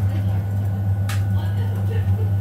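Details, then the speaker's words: Biasi M90E 28S gas boiler after replacing the faulty ignition PCB: burner lit, with a steady even low hum and no misfire or flutter; normal burner operation after repair. "so now the bar is turned on it's working fine there's the flame the burniver are working good"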